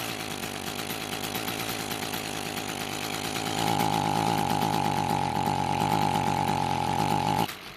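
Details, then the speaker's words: Echo two-stroke trimmer that starts but will not rev, before repair: a low, ragged buzz that briefly rises to a strained tone but never reaches full revs, then drops off; carburetor, throttle cable or butterfly suspected, unconfirmed. Loss of power. "another reason why your trimmer may not be getting up to full speed is a throttle cable or a carburetor butterfly problem in both cases it won't allow your engine to get enough air to get to full speed"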